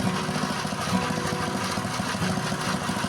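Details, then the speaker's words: Honda GX160/200 petrol engine that would not start (compression good) now runs after service; steady single-cylinder idle set slightly high so it won't die under water-pump load, with even firing and no misses or knocks. "Dan ternyata mesinnya sekarang sudah bisa hidup ya. Untuk langsamnya memang agak ditinggikan. Nanti kalau ada beban airnya dia tidak bisa langsung mati ya."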